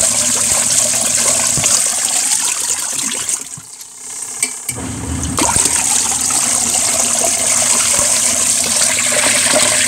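Steady churning and sloshing of water over a faint even motor drone, no knocking or grinding; washer agitating normally.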